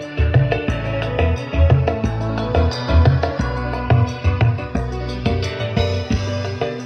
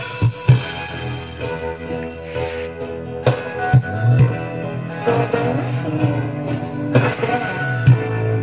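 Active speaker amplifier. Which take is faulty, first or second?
second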